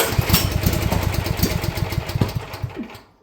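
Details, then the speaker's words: Champion generator, first start after sitting at least a couple of years, possibly low on gas: the small engine catches and chugs unevenly for a few seconds with sharp pops, then dies. It backfires through the intake, setting the airbox on fire. "It likes to backfire and set the airbox on fire, though. I don't know why it would ever do that."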